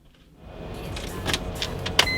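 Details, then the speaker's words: BMW E46 M3 with SMG transmission, no-start after stranding, relays and fuses replaced, battery good: at ignition fuel pump and SMG hydraulic pump whine prime with a few clicks, but no cranking at all. "I hear the SMG pump priming, but there's a no start, nothing. It makes no noise."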